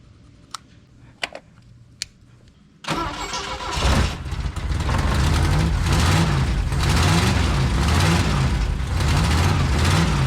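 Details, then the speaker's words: Cold Saab Sonett petrol engine starts and idles roughly, its low beat wavering and not where it should be, with lots of loose parts rattling; an exhaust leak is also heard; during post-trip service after distributor cleaning. "You can really hear that idle when it's cold. It's not where it should be, and a lot of stuff rattles."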